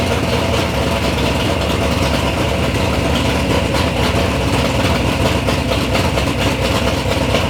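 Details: Third-gen Camaro with big-block Chevy V8, first start-up after years of building: deep, steady, lumpy idle with an even rhythm, no knocks or misses; normal, healthy idle.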